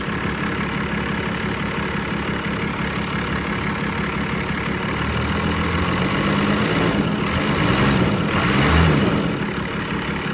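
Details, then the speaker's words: 1990 Dodge Ram D250, 12V Cummins diesel: steady, even idle clatter that briefly swells and settles, no miss or knock. Zero blow-by; healthy idle. "So it does sound good."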